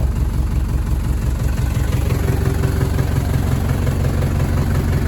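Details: 1983 Mercedes W123 240D diesel, about 270,000 miles, won't shift past first: heavy idle clatter with a lumpy beat about twice a second and a shudder; valves long out of adjustment, with suspected fuel delivery and injection timing problems and a possibly worn timing chain.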